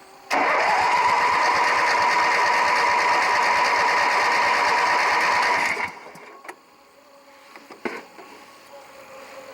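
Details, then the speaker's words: Craftsman 18 hp opposed-twin six-speed riding mower, after a new starter solenoid was fitted: about five seconds of even starter cranking with a steady compression rhythm that never catches, because the choke was off; with the choke pulled it did much better. "let's pull the choke out that was a lot better I should have knew better than trying to start without the choke on"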